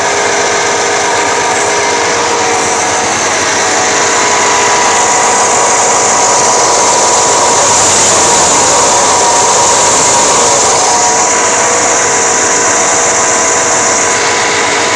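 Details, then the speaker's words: 1989 Chevy K1500 at idle with a loud, steady, jet-like high-pitched whine from an alternator only about 1.5 years old; it still charges fine and is being replaced for the noise. "it's charging fine it's just making a terrible noise when it actually it sounds like a jet"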